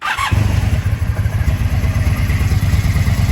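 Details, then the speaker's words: 1983 Honda V45 Sabre VF750S with a vacuum petcock, choke on: a brief crank, then it catches at once and settles into an even, steady V4 idle pulse, a healthy start. "Turn the key on. She did fire up right away."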